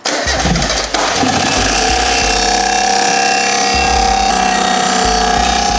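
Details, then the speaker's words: Rebuilt 30-year-old Mazda Miata engine running, checked by stethoscope near the timing cover, which has a brand-new water pump; steady high whine with light scraping over the firing beat, from a failing timing-belt water pump or idler bearing. "I don't see anything that's making that noise it seems really loud like right in this area"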